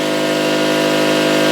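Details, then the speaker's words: Salvaged air compressor rebuilt from parts of three units, pumping from about 90 psi up to cut-off; an even motor-and-pump drone with no knocks, then an abrupt stop. It is running and shutting off properly. "well it's airing up it's uh about 90 right now and and uh as soon as it airs up and cuts off I'll let a little air out make sure it cuts back on"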